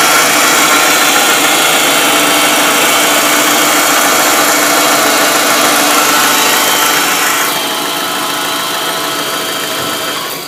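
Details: MG ZR idling with a steady, regular whirring rattle about three times a second, audible from a distance and worsening over time; source unknown, alternator suggested as possible cause.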